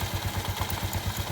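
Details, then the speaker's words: Yamaha Mio scooter CVT after cleaning and reassembly: even low thumping idle, about ten soft pulses a second; the earlier rubbing chirp, suspected from a rubber part, is gone and the belt drive sounds smooth. "Sekarang kita tes hidupin dulu motornya. Udah halus, suara bunyi tadi karet itunya udah hilang."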